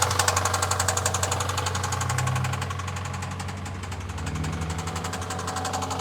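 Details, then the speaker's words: 2000 Honda Civic coupe (EJ) at idle: a deep, steady, loud knock about four beats a second from a worn rod bearing; rod knock, needs a new bottom end. "That sounds terrible. That's how we got it for so cheap. Needs a new bottom end."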